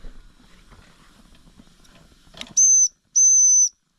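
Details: Mamod TE1a live steam tractor model, believed post-1978 variant, first steam-up after cleaning, new seals and oiling: faint fire crackle, then two clean, steady high whistle blasts about half a second apart; boiler up to working pressure.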